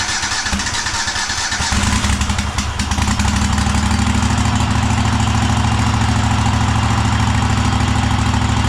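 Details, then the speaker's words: Cub Cadet Super LT1554 with a 27hp Kohler V-twin, 500+ hours, just reassembled after head gasket replacement, burning off oil and smoking: rough start then an even, steady note that stays flat at full throttle; not reaching full rpm, adjustment suspected. "It is not throttling up all the way. That's full throttle. So, that's a little funny."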